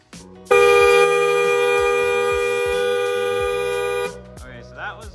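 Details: 2005 Toyota Camry original horn before Hella dual-tone upgrade, meter near the horns reading 117: one steady, thin, buzzy note about three and a half seconds, lacking punch; sad, quiet, weak horn.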